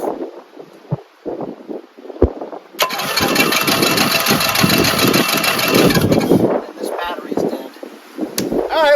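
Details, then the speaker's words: Briggs & Stratton 14hp single-cylinder Synchro Balancer engine from a Simplicity tractor, rebuilt after a shredded bearing sleeve, no muffler: starter cranks about three seconds with a few weak pops but never catches; owner suspects low compression or a weak battery. "It does pop. It didn't go vroom, but did go pop. Honestly, it seems like it doesn't have enough compression"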